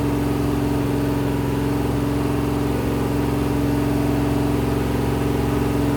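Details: Rebuilt 426 Gen 2 Hemi crate V8 (new heads, intake, pistons) on run stand, flat-tappet cam break-in: steady fast idle, smooth constant hum, even firing, no clatter; normal high idle.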